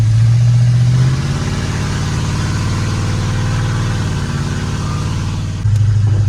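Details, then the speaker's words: 32-year-old Ford F-150 that sat over ten years and ran rich with sooted plugs, after new spark plugs, on test drive; steady even rumble, no stumble or popping; normal running. "it's running pretty good I mean those spark [Music] plugs pretty much fixed it oh yeah that sounds good"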